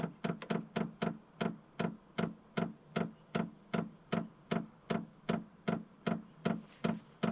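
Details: Vevor 8 kW 12V diesel heater in manual mode at level 10, fuel pump priming with about a liter of diesel in the tank: sharp, even clicks about 2.5 per second over a faint hum, normal fuel pump priming.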